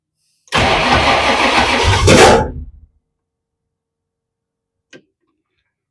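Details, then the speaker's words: 1962 Ford Falcon gasser with a Holley Sniper/HyperSpark distributor, just refitted while replacing the distributor gear, cranks two seconds with an uneven, lumpy beat and a heavy clunk; owner suspects the starter, and the noise appeared after the disassembly. "I don't know what that was it didn't sound good what was that I don't know I don't I don't really want to try it again maybe it was the starter you know the starter's done clunky stuff before"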